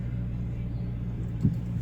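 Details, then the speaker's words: 2005-2010 GT front end gives a single dull thump over low engine rumble rolling down a driveway; worn front sway bar bushings (34mm), later replaced with Prothane kit. "That's what we're after and that's what we're going to cure is that clunk right there."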